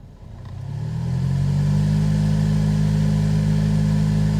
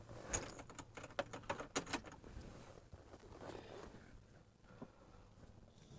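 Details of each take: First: Silverado cabin blower at full fan speed makes a loud, steady low hum over rushing air after AC repair; hum caused by debris in the blower wheel, found after pulling the cabin air filter. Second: Chevy Silverado cabin blower after the fix, mic placed near the blower: a few handling clicks, then a smooth, steady rush of cold air with no hum. Fixed by cleaning out debris and replacing the air filter.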